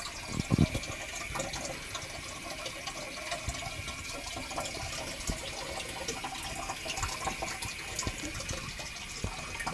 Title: Boiler making noise